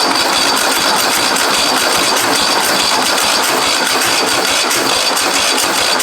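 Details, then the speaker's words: Husqvarna 54-inch deck zero-turn mower from a shed, cranked with a little 2-stroke poured down the carb: fast, even cranking that never catches; fuel in tank but something clogging the fuel line. "But for right now, I know there's fuel in it. So there's something clogging the fuel line or something's not running correctly."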